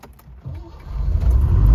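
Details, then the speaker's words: Long-neglected Citroen SM found sitting roadside, started without starting aids. Weak cranking turns into a low rumble that swells and steadies as the V6 catches and runs. "she runs i can't believe it just started up i was all prepared to have to make with a quick start or put some fuel down the carburetor or something but no it actually started"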